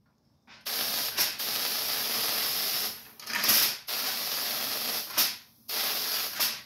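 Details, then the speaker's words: Ion lifter 3.0 using a top foil plate instead of a wire: a sharp, airy hiss switching on and off in bursts; this is corona discharge, which is why the lifter produces little thrust. "the noise is a Corona discharge so that's why you hear that noise and why it's not producing a lot of thrust"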